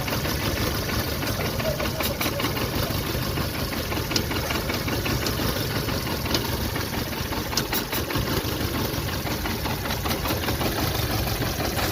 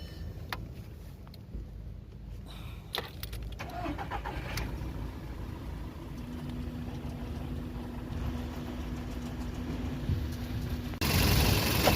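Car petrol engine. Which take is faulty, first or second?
first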